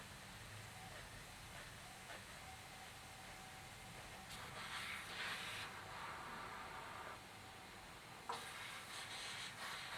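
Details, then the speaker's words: Honda Bros cylinder head off bike, DIY pressure test at about 100, two gauges agreeing, engine not running: thin steady hiss swelling and fading as air leaks past exhaust valve seat during rebuild. "okay so this is a hundred okay we're almost at 100 there so that is the pressure in the head you can see there's two gauges saying the same thing and you can hear the exhaust one yeah"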